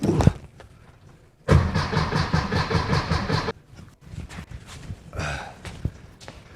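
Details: VW Beetle after dual EMPI carb kit install: starter cranks in an even rapid chug for about two seconds, engine never fires as carbs are still filling with fuel; oil pressure present.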